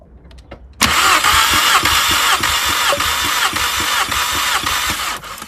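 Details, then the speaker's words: Mk5 VW Golf GTI with a cylinder 3 misfire, compression test: cylinder 4 cranks at about 205 psi with steady, even beats; all cylinders range 185–205, ruling out mechanical faults, electrical fault suspected. "this one it's about 205 so they're all around the same figure they should all be within about 5% of each other"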